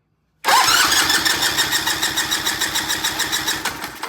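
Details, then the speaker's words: Vintage British motorcycle twin, compression test with fuse pulled and carb/throttle wide open: strong even cranking about three beats a second, crisp firm chuff each stroke, gauge reading a good 160 on this cylinder; good compression. "Wow. That's a good 160. Wow, that's a lot of compression."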